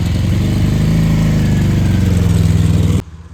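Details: Homemade mini buggy/kart cross during a first acceleration test: deep, even twin-cylinder drone with steady firing and no knocks or rattles; owner had worried about a head gasket failing; the engine sounds healthy, normal running.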